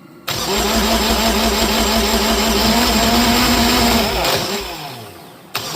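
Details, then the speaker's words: Universal M25XP marine diesel from a Catalina 36, salvaged untested from a scrapyard, test-run on a stand; fires after cranking but runs rough and uneven, about three beats a second, then dies. Cylinders 1 and 2 get no fuel; injection pump fault. "Oh, we have ignition. It's not getting a lot of Our starter is going. Yeah. Number 1 and 2 aren't getting anything. Yeah. There's an issue with the pump."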